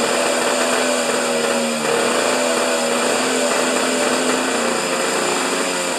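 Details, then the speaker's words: Husqvarna snow thrower during governor repair, covers off, primed: high buzzing note held flat at one fast speed, never throttling back; throttle not activated by governor, jammed tight. "because the throttle's not activating on the on the governor you it's Jam tight"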